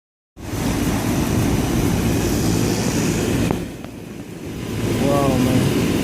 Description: RESIDENT COMPLAIN THAT THERE IS A NOISE FROM THE AC UNIT OUTSIDE. A LIZZARD WAS HIT BY THE CONDENSER FAN BLADES